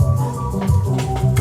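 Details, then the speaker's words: Yamaha K-1020 cassette deck playing a tape: dull, woolly playback with almost no treble. The head-raising cam gear isn't rotating, and the owner suspects a sticking motor or dried-up, frozen gears. "That sounds pretty muffled to me. So either we have a sticking motor, or I think just the gears themselves got dried up and froze."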